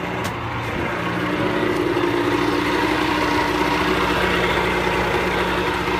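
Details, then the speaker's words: Pelin Nomad boat's two-stroke outboard on fast idle with lever forward; steady, even drone with constant low hum and no misses or knocks, a pretty smooth normal runner; only a drip from the telltale out of water. "Alright, so I'll just push that in, move the old lever forward, and we should be a bit of fast idle then, give it a crank. So she's a pretty smooth runner, as you can probably hear."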